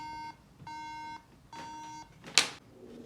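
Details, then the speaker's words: MacBook Pro at power-on with no display: three long, steady high-pitched beeps repeating continuously. This is the memory beep code, meaning the RAM is not seated properly; the fix is to remove and reseat it. "और मेरा display नहीं आ रहा है तो दोस्तों इसका main reason इसके behind SDO प्रेम जो रैम आपने सिक्स की है वह सही तरीके से नहीं लगी हुई हैं"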